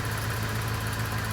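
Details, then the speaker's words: 1984 Corvette with Crossfire Injection, parked over 20 years, after a vacuum leak fix and clearing the tailpipes. A low, even idle at about 750 rpm with a steady pulse and no misses. Normal idle. "That's better. Now she's idling better."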